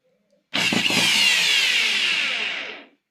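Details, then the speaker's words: Electric drill that would not run, after fitting carbon brushes: bright steady motor whine spins up quickly, holds about two seconds, winds down smoothly; repaired, running normally. "तो संगवारी हो हमारा proper drill machine लगा आप चालू हो गए।"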